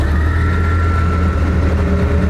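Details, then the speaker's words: Invacar TWC 725K at constant road speed: steady high transmission whine over the low engine drone, much louder than another Invacar; gearbox fluid fine but differential fluid silvery and metallic, so a breaking-up diff bearing is suspected. "Yeah, we're increasingly worried about the differential. Because having driven the other Invacar, it is so much quieter, it doesn't make any of this transmission noise."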